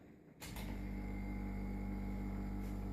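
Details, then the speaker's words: 1969 Danish air compressor built from a refrigerator compressor with a butane gas tank, almost 48 years old: switches on into a low, smooth, even hum with no knocking or rattle; very quiet, and it pulls a strong vacuum. "it's very silent it doesn't sound so much and they've got a very good vacuum"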